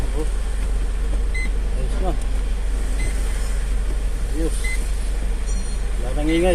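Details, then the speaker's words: Foton Traveller diesel van idling after a full clutch set replacement, done for an earlier clunking rattle and drone: a deep, even idle with no whine, drone or clutch grinding. It sounds smooth and normal. "nang ingay oh. Wala nang ingay, wala nang umugong."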